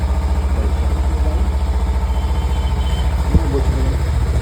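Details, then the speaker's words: Kawasaki Ninja 300 after throttle body cleaning, which fixed a cold-start problem: fast even exhaust pulse with crisp throttle blips, no misfire or stumble. Normal running. "তো সমস্যা ছিল কোল start হচ্ছিল না। Hotel body clean করার পর কোল start একবারে নিয়ে নিয়েছে। সুন্দর সাউন্ড আছে।"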